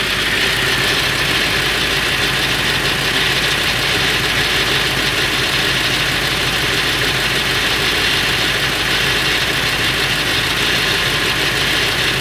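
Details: Late 1999 Ford F350, 7.3L Powerstroke diesel: loud steady idle with constant metallic clatter-rattle, no speed change, more pronounced under the truck; owner wonders flexplate or engine, source not found.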